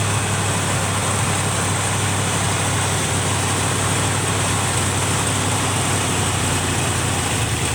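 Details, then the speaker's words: 1971 Chevrolet C20 with a swapped-in 454 big block, just started: steady low idle with a slightly uneven, hunting beat and a hissy top end. The owner says a vacuum leak at the carburetor base is the cause and plans a match test to confirm it. "That thing, not idling worth a poop. It's got a vacuum leak at the base of the carburetor."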